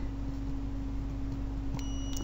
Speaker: you can hear the meat is beeping